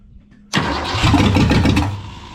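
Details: 1973 Mercury Comet GT, 302 V8 with 3-speed, first start in about 35 years with a rebuilt Holley two-barrel on an adapter: catches with a rough roar, runs unevenly about 1.5 seconds, then dies and backfires. Loose rocker arm nuts cause the misfire and stalling.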